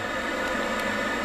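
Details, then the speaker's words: Worcester Greenstar i combi gas boiler on a Nest thermostat demand, slow to fire with cool heat exchanger: steady even roar of burner and fan, no pops, rumbles or whistles; normal boiler running. "but it did fire it up and as you can hear it now running this"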